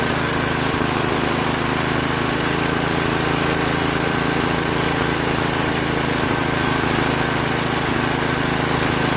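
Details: Craftsman 5.5 hp OHV 26-inch two-stage snowblower, gravity-fed tank, after replacing its surging carburetor with an aftermarket copy: steady, even single-cylinder buzz with no surging or hunting; runs healthy.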